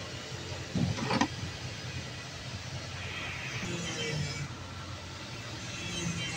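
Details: Perkins 1300 series diesel generator running rough with uneven knocking and white smoke, from a broken injector nozzle.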